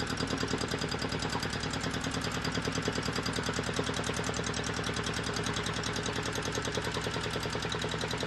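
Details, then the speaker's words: Volvo Penta 2002 marine diesel from a 1987 Liberty Yachts Pied Piper 28 sailboat, after repair and fuel bleeding: steady, even clatter about 200 beats a minute, no misses or knocks; running properly, throttle and shutoff working. "but the shut off is working so so everything is working now I just got to tweak it a little bit"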